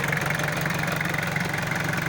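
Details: 4DR5 old-model diesel with transmission, air cleaner fitted: steady, even diesel clatter at idle, constant beat, no misses or extra knocks, no smoke; normal diesel idle.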